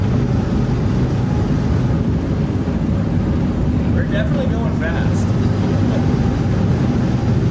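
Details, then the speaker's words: Skoolie school bus at highway speed after swapping in new rear differential gears, aimed to drop engine rpm at 60–65 mph from about 2,600 to about 2,100: steady road and engine roar, no gear whine; new gears much quieter than the old diff. "This new diff is much quieter than the old one, which is good. I was hoping for that. Oh, those new gears are so much quieter."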